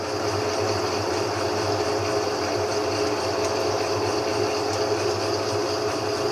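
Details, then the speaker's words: GE 15 kg washing machine that was banging against its sides, after repair, in spin: smooth even hum with no side knocks or thumps; drum running true, noise appears gone. "até agora pelo meu ponto de vista eu não consegui ver e ouvir barulho ainda nem acredito que o barulho foi embora"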